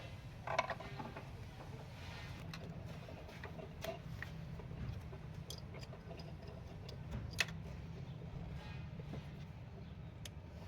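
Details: 2012 Toyota Vitz 1KR petrol engine, which had low rpm, misfire and heavy vibration, after cleaning the injectors, throttle body, manifold, O2 and MAP sensors. It cranks, catches quickly and settles into a steady, even idle with no misfire.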